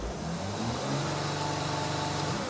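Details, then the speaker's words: Mercedes Sprinter diesel van that loses power and can't exceed 40 mph uphill, parked, with no stored codes: revving gives a faint airy turbo hiss under the hood while boost peaks at only 1.08 PSI; low boost, cause not yet confirmed. "so turbo is hissing let me check our boost pressure because we cannot drive it on the road so let me see what boost we're building here while we're sitting here at idol we're not building enough Bo"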